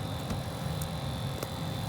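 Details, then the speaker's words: 2006 Honda Civic, 260k miles, fan on full blast near the blower motor area: steady fan rush with light ticks about twice a second from the blower motor going bad; fix is replacing the blower motor. "so in our case when you turn on the fan all right you get this funny sounding ticking noise all right ticking noise so let me turn on full blast and hopefully you guys can hear that"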